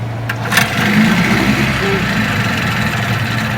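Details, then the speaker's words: Low-hour, freshwater, fully serviced Johnson 9.9hp outboard, restart in neutral: catches instantly after a short crank burst, then settles into a smooth, even idle with no stumbling. Normal start and idle. "Starts and runs absolutely beautiful."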